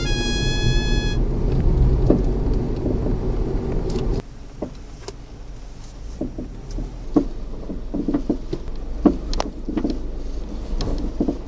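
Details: Car driving after a shock absorber replacement: light, uneven knocking and tapping from the suspension over steady road rumble; the installer could not reproduce it and found the fitting normal.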